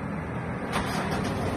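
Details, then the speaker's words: 2010 Montero Sport diesel restarted warm after valve cover gasket replacement and EGR cleaning, fuel now primed; engine catches almost instantly into a steady diesel run with no cranking drag, a clean healthy start. "Yun. Ayos na ayos mga idol. Andar kagad."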